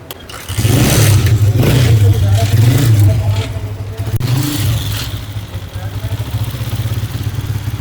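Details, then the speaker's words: Honda CG 125 single-cylinder bike, earlier loud noise from clutch side cover, started with RPM (tachometer) cable disconnected from engine: steady even low thump, noise gone; cause is a jammed RPM cable or its drive, normal idle. "अब आप देख सकते हैं bike start हो चुकी है। आवाज जो है अभी इंजन के अंदर से खत्म हो गई है।"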